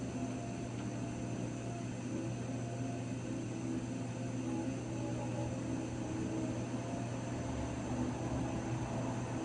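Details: Raypak 106A heater: a constant low hum with a thin steady tone that never changes pitch; whining again, cause not yet found.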